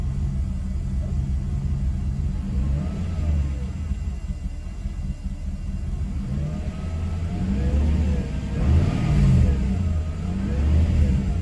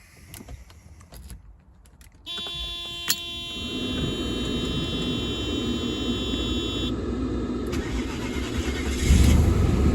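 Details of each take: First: Mercedes W124 E420 M119 V8: deep note rising and falling with throttle but lumpy and uneven, worse than before; ASR light on, owner blames moisture in throttle body needing rebuild. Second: Mercedes W124 E420, M119 4.2 V8, started after a long repair with the distributor rotor refitted and everything dried. Starter catches, then a smooth, even idle with a steady low hum and no misses. Normal idle before warm-up.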